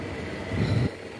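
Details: Toyota Camry (2AZ/2AR engine) before repair: deep, uneven rumble that swells briefly then settles, caused by a loose, worn balancer shaft; replaced without removing the engine.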